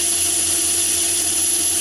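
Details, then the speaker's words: Myford ML7 lathe with the 100 mm chuck, taking a big cut: steady, even high-pitched cutting hiss over a low motor hum, no vibration or chatter, excellent finish; smooth cutting, unlike the 125 mm chucks. "i can take nice big cuts with that one like you see there that's about 100 pounds and no vibration at all so it's producing an excellent finish"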